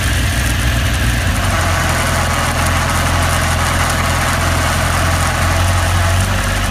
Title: Weird noise